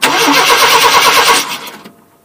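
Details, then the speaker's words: 1988 Chevrolet Silverado half-ton 2WD, crank no-start, spark tester on the coil wire: the starter spins the engine with an even, fast chug for about a second and a half but it never fires. Ignition module or pickup failure suspected. No spark. "And I can't hear any spark or see any spark, so we're going to have to pull the cap off and have a look inside."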